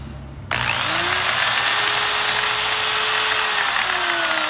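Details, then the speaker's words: Electric drill that did nothing, after repair with the switch rewired direct, now runs in one direction only; chuck damaged with play; snaps up to a steady high whine holding speed evenly; normal running. "Como ven, ya funciona en una sola dirección."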